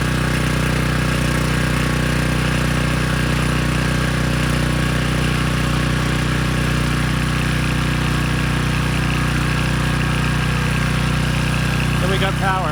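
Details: Briggs & Stratton Storm Responder generator after carb cleaning, water-fuel fix, new brushes and bridge rectifier: steady even drone, regular beat about four a second, no surging or misfire; output 132.5 V, 61.5 Hz.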